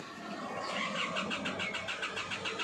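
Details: Isuzu MU-X diesel, hard start, reading 221,000 kPa rail pressure (over 200 kPa even key-on), code fuel rail pressure sensor circuit high: steady cranking at about six beats a second with no firing; replacing the sensor fixed it.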